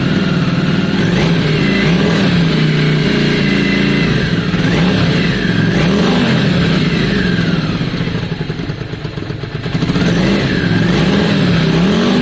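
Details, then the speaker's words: V-twin after some carb work, not fully warm: uneven burble with throttle blips and occasional spits. Spitting lessens when warm but persists a little with raised idle; cause not pinned down. "it's still not fully warm um um that spitting is interesting because that's something sultans does a lot as well"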